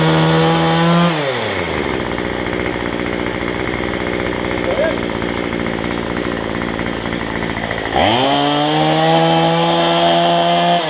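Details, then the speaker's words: Cheap two-stroke weedeater number 2 on a new $6 replacement carb, air filter off: buzz drops to a sagging idle then climbs back sluggishly; carb way out of adjustment, running rich and smoking. "I can adjust the carburetor, because these things are way out of adjustment."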